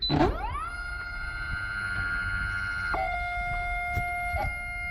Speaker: I think something in the motor is bad. Can you hear the the pitch kind of shift up and down?